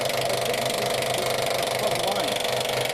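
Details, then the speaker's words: Vintage engine being cranked: steady churning with no firing strokes catching; it cranks but won't start. The fuel pump is suspected of not delivering fuel, which is unconfirmed. "yeah that's what I'm seeing I mean I can hear it pumping but it sounds like it's not getting any"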